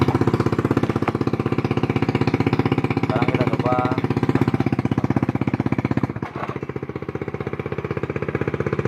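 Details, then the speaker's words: Honda Beat scooter, which had died when the center stand was lowered and kept blowing its fuse, idling after the wiring was rerouted over the top and the part refitted. Steady, even single-cylinder putter at about four firings a second with no misses or knocks: normal idle. "Kalau tadi pas dijatuhkan standar 2-nya pakai standar 1, motornya langsung mati teman. Sekarang sudah bisa hidup."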